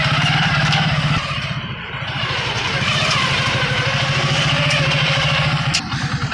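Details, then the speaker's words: Hero Super Splendor, smooth in neutral but a fast, uneven rattle about three beats a second once in gear and the clutch is released, even after fitting a new primary pinion; worn clutch housing and primary drive gear. "देख सकते हैं ना sound साथ ही साथ change हो जाता है क्ल छोड़ेंगे जैसे गयर जैसे ही क्लॉज छोड़ेंगे गियर डालने के"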